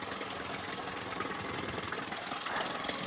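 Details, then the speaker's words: Yamaha 9.9/15hp outboard after a new primer bulb restored fuel supply and the carburettor was adjusted: fast, steady idle with no surging or dying. Normal idle, though the weak cooling stream at low revs suggests the impeller needs replacing. "Engine's ticking over nicely. I had to do some adjustment to the carb, so I shall show you that."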